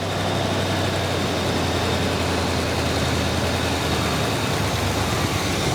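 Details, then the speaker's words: 1979 Chevy Camaro barn find sat over a decade, first start: steady high idle with deep constant drone that never settles; carburetor has no choke, so fast idle never comes off without manual help. "there's no way to heat up the choke wire because there is no choke huh well I might have stick a screwdriver down in the carburetor to get it to do that yeah the fast idle will never come off"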